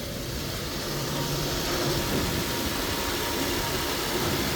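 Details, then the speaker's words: Infiniti G37 just after galley gasket replacement, first cold start: even, slightly raised cold idle with smooth steady beat, no ticking or misfire; no faults shown, no oil leaks, runs fine. "So, all right, let's crank it. Oh, fuck. Shit, here we go. It fucking cranked, bro. It's running fine."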